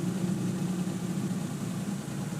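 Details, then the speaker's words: 1993 Suzuki Jimny kei version, heard from inside the cabin at idle around 1100 rpm (standard 950), shift knob also shaking: steady low idle hum with a faint uneven shake underneath; slightly rough idle, cause unclear. "We got a little bit of a shake in it at idle, which you can kind of hear inside the cabin a little bit."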